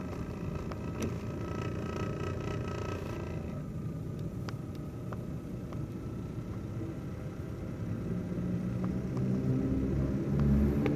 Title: why my brother's laptop cpu fan spinning too slow and its too loud noise and vibrating